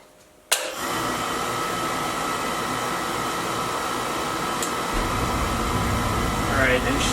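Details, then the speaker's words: Weil McLain oil boiler with Beckett burner firing up after brushing, vacuuming, new gasket and reassembly: sudden whoosh then steady, even roar with low rumble, no sputter or pulsing; healthy, no leaks, flame clean. "and she's firing up good. Everything sounds healthy."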